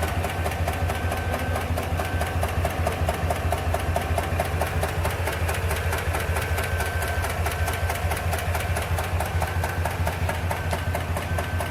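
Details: 2021 Chevrolet Tahoe / GMC Yukon with engine malfunction lamp and misfire code: fast regular light ticking over slightly uneven idle. Engine ticking with misfire.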